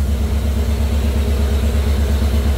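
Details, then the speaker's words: Jeep CJ5 with Holley EFI, engine warm at 193°F before break-in: steady even low idle, smooth rhythmic pulse, no knocks or misses; fan one on, timing, voltage and temperature good, oil pressure about 45 psi. "electric fans looks like fan one is on right now fan two hasn't kicked on yet but the timing looks good voltage is good temperature is good"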